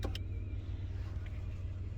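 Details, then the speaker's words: 1993 Dodge Grand Caravan LE, driver power seat: low, even electric motor drone for two seconds with no catching or grinding; normal power seat motor operation. "this is driver power seat it does work"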